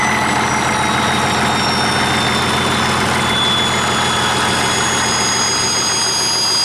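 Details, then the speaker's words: 1959 Caterpillar D337F diesel restarted with new filters, now resting at idle: a steady, even clatter with no misses or knocks. It will not stop on the throttle and needs the shutdown lever. "well damn it's like it was never even shut down now that's impressive"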